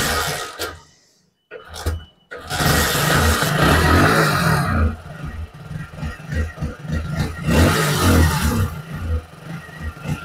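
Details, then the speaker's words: Hero HF Deluxe BS6 with hard starting and misfire, after cleaning and refitting oxygen sensor: engine dies, revs surge and sag with stumbling beats, won't take throttle; still faulty, oxygen sensor replacement planned. "फिर भी, bike में खराबी आ रही है। यह रेव्स नहीं ले रहा है। यह बंद हो रहा है।"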